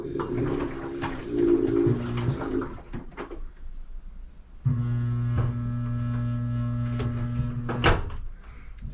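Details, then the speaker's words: LG 2301 front-load washer with low water fill: steady electrical hum with no water flowing, stopping when unplugged; hot water inlet valve energised but not opening, failed valve to be replaced. "we're hearing a valve trying to actuate but no water is entering it's just a humming noise so this valve is working currently"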